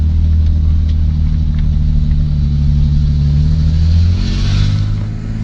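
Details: BMW E30 with its ECU refitted, idling with a faulty sensor. There is a heavy, low, lumpy, uneven rumble, juddering badly, and the rough running continued until the sensor was replaced.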